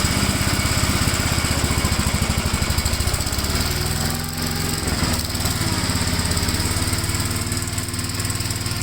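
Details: 1957 Gravely tractor mowing test: steady single-cylinder chug dipping briefly under load and recovering, no misfires or knocking; runs pretty good, normal running under load.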